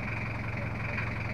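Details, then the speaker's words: Toyota Kijang LGX 2.5 diesel at idle, brought in with rough engine sound, oil seepage and coolant issues, mechanic says valve clearance setting is due: uneven lumpy pulse with a harsh rattle over the beat, rough idle from valve clearance out of adjustment. "keluhannya itu suaranya agak kasar udah waktunya setting klep"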